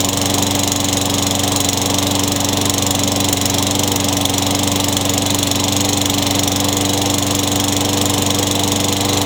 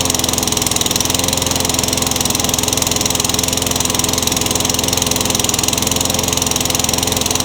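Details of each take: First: Craftsman 22-inch mower, Tecumseh 6 hp engine, trash find with new RJ19 spark plug, running: smooth, steady single-cylinder drone with even buzz, no surging; normal running, no smoke or oil burning. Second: Craftsman trash-find mower that started and died (carburetor issue), primer bulb cracking: fast, slightly uneven popping with a thin, hissy edge; now stays running but still sounds lean, so a new carburetor is planned.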